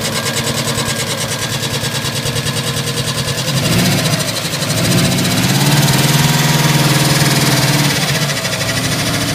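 Regular knocking around three per second rides over the idle and gets louder as revs rise, a bottom-end knock of unknown cause.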